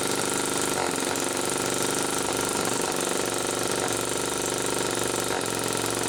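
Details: 1974 Homelite XL-2 chainsaw with early HDC carb, test run after air leak repair: steady, slightly lumpy two-stroke idle, no clatter or surging; idle not quite what owner would like. Normal idle.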